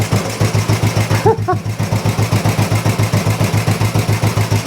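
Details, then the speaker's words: Old Royal Enfield 350 single after long storage and carb work, not yet fully warmed up: even, regular slow idle about three and a half beats a second, no misses; running sweetly, normal idle, not much wrong. "engine sounds really really sweet yeah obviously we'll get it up to temperature properly when we have a ride on it I don't think there's much up with that"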